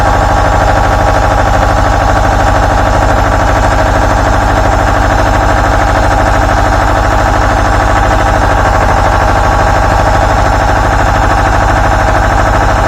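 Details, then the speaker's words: Two-cylinder Deutz 1011 diesel powering an air compressor, after teardown and repair of terrible running, fuel system not bled: even, steady idle at about three pulses a second, no miss, knock or smoke; a smooth, healthy idle. "no smoke nice and smooth sounds good hopefully next time I go to use it it don't give me no more trouble"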